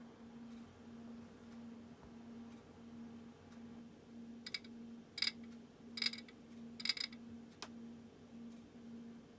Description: There is a clicking mechanical sound that happens when slowly moving the drum. The drum doesn't have any resistance when turned, there is no friction whatsoever, and no floating debris or parts under the front plastic cover.